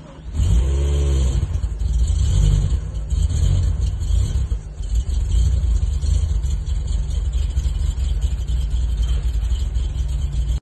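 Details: BMW M5 E60 after engine rebuild, smoking and sputtering: engine catches and revs, but the note surges and drops unevenly with stumbling dips; rough-running misfire.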